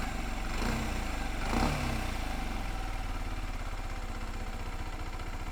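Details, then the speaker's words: Used 125cc motorcycle idling, heard from its other side: even low putter with no knocks or rattles, which is how a healthy 125 should sound. Normal idle. "but that is how it should sound any odd noises other than that could be engine knock which means the engine is probably on its last legs"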